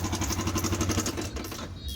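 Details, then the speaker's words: Yamaha R15 (older model) motorcycle idling with a fast, regular metallic knock about ten a second; coolant has got into the engine, likely past the water pump seal, and the engine must be torn down. "เสียงนี้ชัดเจนว่าเครื่องปังสายเอกน้ำเข้าเครื่องน่าจะเข้าตังสินปั๊มน้ำครับแบบนี้น้ำเข้าเครื่องรื้อต้องรื้อ"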